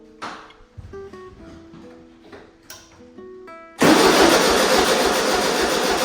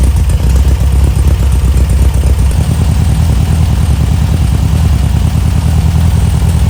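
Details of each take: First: 1973 Volkswagen Super Beetle 1303, air-cooled, sat outside 15 years; starter spins hard and steadily but engine never catches because plug leads were fitted in the wrong firing order. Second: 1973 Volkswagen Super Beetle 1303 after 15 years outside, smaller carb screw set 2.5 turns out and fuel tank sorted; air-cooled engine holds a steady, even low chugging idle with no misses or knocks; normal idle.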